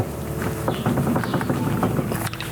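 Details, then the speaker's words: 1971 Jeepster Commando with Dauntless V6, locking hubs removed, front wheel rocked by hand: quick, loose knocking bursts as the hub shifts each time, showing too much play in the front wheel bearings. "that shows you have too much play in the wheel bearings which isn't really a good thing"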